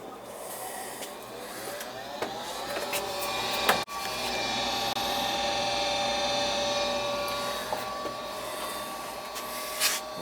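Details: Goodman gas furnace with a burnt smell and no heat, restarted after a cooked control-board relay: the inducer (exhaust fan) motor spins up to a steady, even hum with a clean tone and no rattle or grind; starting normally.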